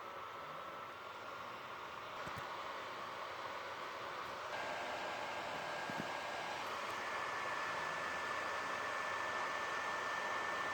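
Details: PS4 Slim, probably dusty. A steady airy rush with a faint high whine that keeps getting louder: loud cooling fan.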